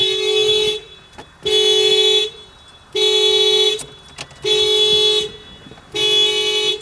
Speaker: course, the car won't start with the alarm going off. And the alarm going off just killed the battery. I missed it, but you could hear the horn just slowly die.